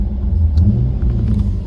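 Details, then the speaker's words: 2004 Chevrolet Corvette C5 after aftermarket head unit install with Axxess harness, engine running: low steady rumble, no whine from the speakers; fixed by maxing the harness gains on all four channels, not by extra ground. "So, the fix was don't turn it down, we maxed it out. So, we maxed all four channels out and we have no noise road noise anymore."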